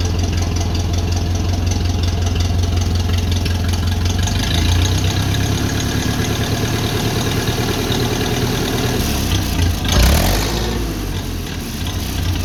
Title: First Start after full engine overhaul!! 1955 Ferguson 20 TED TVO